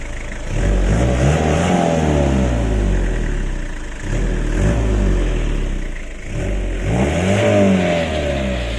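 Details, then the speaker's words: 5L HiLux diesel after rocker cover gasket replacement, insulation removed, first start after 2–3 weeks sitting, glow plugs used; catches and settles into steady clatter, then revs rise and fall cleanly with no knocks or odd noises; normal. "We're going to start it up now and see if it's any louder without that insulation."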